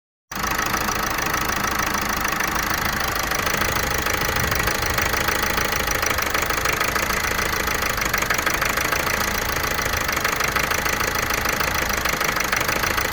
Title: Vauxhall Meriva 1.6 CDTI Misfire P0016